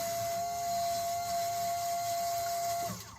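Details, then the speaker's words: Two-stroke project's bilge pump after removing a piece of tie wrap jammed inside that caused a noise: even mid-pitched whine for about three seconds churning water, then a clean stop; pump now sounds normal. "Much better. Churning up some water there. Sounds much better without a piece of tie wrap in it."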